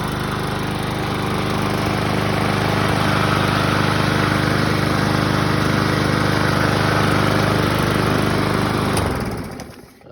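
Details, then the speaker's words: One-year-old trade-in BlackMax/Murray MNA152905 mower with a Briggs & Stratton 125cc OHV engine. The broken flywheel key was replaced, the J-bent blade was swapped for a used 20-inch Craftsman blade and adaptor on the 21-inch deck, and oil was topped off. It runs steadily with slight shake, likely blade imbalance, then coasts to a stop. Flywheel slightly cracked. "It does shake a little bit, but probably the blade that's a little bit off balance because it is used."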